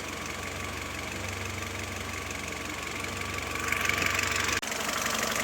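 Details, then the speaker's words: Citroën C4 2.0 at working temperature after about half an hour running, fuel pressure correct: top end turns noisier with a rapid, steady ticking that grows louder, as if running slower; camshaft position reads 10 versus 16 earlier. "ya se puede escuchar cambio el sonido del motor más ruidoso en la parte de arriba que está como más como más lento"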